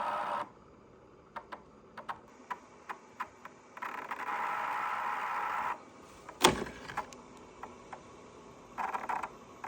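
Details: Dyson PH04 purifier humidifier, replacement unit about a year and a half old, fan gives irregular sharp ticks and sudden bursts of mid-pitched buzzing, sometimes at night; cause unknown.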